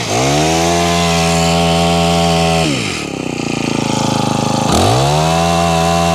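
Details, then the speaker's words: Honda HHH25 4-stroke hedge trimmer that was bogging, first start after priming and choke: buzzy high revs sag and stumble for a couple of seconds, then pick back up. It runs unevenly and the carburettor needs tuning. "Okay, wants a bit of a tune. Let me find the right tuner for that and we'll try and tune it up."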